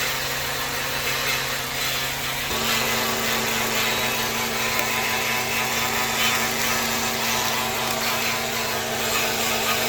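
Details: 2007 Nissan Maxima with codes P0746, P0826, P1778, P0868: steady mid-pitched transmission whine holding an even tone while the car runs, noted during a warranty inspection.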